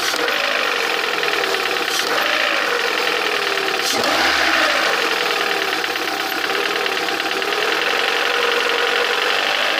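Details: Lada 21126 engine idling: light irregular metallic tapping about four times a second over a thin whirr, clearest at the end; internal knock, cause unclear.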